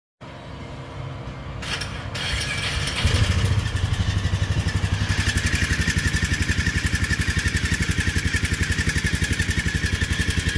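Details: 2018 Polaris Ranger 500 with a fresh battery, single-cylinder engine starting and idling, then revved: thin whine climbing and dropping with rpm.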